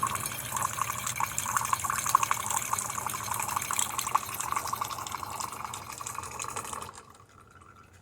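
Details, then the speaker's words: Refurbished DeLonghi Magnifica XS with a replaced water pump: a smooth, even hiss of hot water dispensing for about seven seconds, with no sputter or pump rattle. Normal hot water dispensing. "now let's test the hot water or the machine nice steady stream from now the one"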